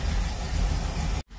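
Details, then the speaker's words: 1977 Chevy Camaro V8, first run after purchase, hot-wired to the distributor, oil unchecked: smooth even low rumble with no clicking or clacking before cutting out; sounds like all eight cylinders firing, normal idle. "she doesn't seem to be clicking or clacking like it needs oil sounds like it's running on all eight so pretty excited about that"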